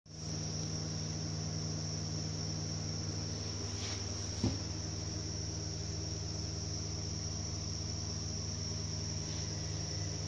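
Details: 2008 Subaru Outback 5-speed manual: high steady chirping whine over low drivetrain drone from a worn rear gearbox input (clutch) shaft bearing.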